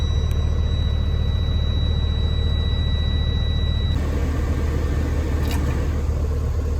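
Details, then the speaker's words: Air brake system building pressure after air dryer service (new O-rings, greased push-in tubes and tapered fitting) on test run: deep even diesel idle, faint whistle dropping out midway, no hissing leaks heard; normal pressure build-up. "No leaks that I could hear anyway."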